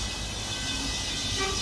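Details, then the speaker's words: Positive-temperature refrigeration rack (two cold rooms and a display case) with a leak on the liquid receiver: during recovery via recovery station in liquid mode, steady hiss with faint rush as liquid refrigerant flows into the recovery cylinder, as it should. "Là il y a déjà une partie qui rentre dans on entend le bruit, ça rentre dans la bouteille là."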